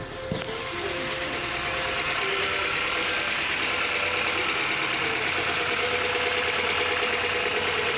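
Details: 1989 Mazda 323 (BF), engine idling after the AC and both fans are turned off: steady, even idle with a smooth airy hiss, no knocks or surges. Running cleanly; the key-off cooling fan fault was a miswired fan power feed.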